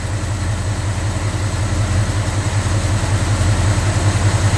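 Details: Old-school small-block Chevy V8 right after a mechanical fuel pump replacement, no leaks: a deep, steady burble with an even low pulse and no stumbling, ticking or knocking. The engine idles smoothly and healthily.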